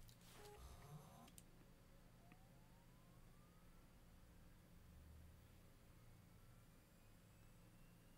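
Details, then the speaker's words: Seagate IronWolf Pro enterprise NAS hard drive starting up, recorded on a separate mic with drive noise slightly boosted in post: quiet low hum and faint whine climbing in pitch as platters reach speed; normal spin-up. "i'm going to go ahead and start this drive up and then i'm going to be silent for the better part of 30 to 40 seconds because the spin-up noise is probably one of the most noticeable degrees of any enterprise drive"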